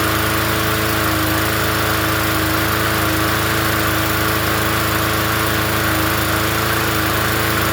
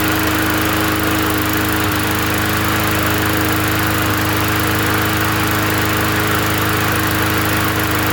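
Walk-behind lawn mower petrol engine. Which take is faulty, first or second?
first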